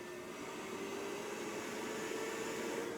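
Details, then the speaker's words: Sunfire heater restarted as on a thermostat: steady airy blower rush with even mid-pitched hum and faint irregular igniter ticking underneath; fan and igniter working normally. "hear the igniter going. There it is. So that's how it's going to operate on a thermostat."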